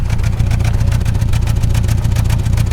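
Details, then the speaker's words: Honda CR-V with a cylinder at 80 psi compression: rough, uneven idle that stumbles and chuffs with constant misfires; worsening fuel economy and weak uphill power; misfire from low compression. "That's the sound of 80 psi compression doing work. Just misfires constantly, but your boy's just been ignoring the fact because it wasn't horrible at first."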